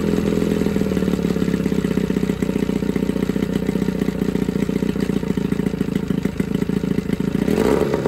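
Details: Johnson 9.9 outboard (kicker motor) running in a tank after a carb kit rebuild and new plugs gapped to spec: steady fast putter around three pulses a second, unbroken with slight mixture hunting; clean normal idle.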